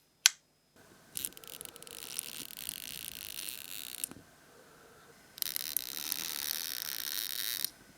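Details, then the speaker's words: 1954 Curta mechanical calculator, long stuck, possibly dropped long ago: main shaft still bent but turns, two bursts of fine even ratcheting clicks with no grinding or catching; mechanism turns and sounds good. "I'm going to try turning the main shaft now, and even though it's still bent, it does seem to turn, and it even sounds"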